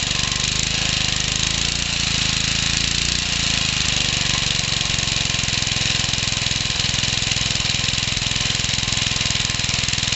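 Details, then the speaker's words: Small single-cylinder stationary engine built from Suffolk and 1950s parts, first run after carb cleaning: steady running with a rattly metallic knock on every beat, little smoke; big end knock. "definitely got that big end knock just as i thought it would but it's not very smoky"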